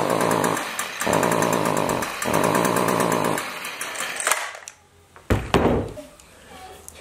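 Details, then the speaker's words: Stihl two-stroke weed trimmer revs in short bursts then sags, bogging down under throttle, from a carbon-clogged spark arrestor screen. "today I've got a problem with my still weed trimmer it's bogging down when I try and run it"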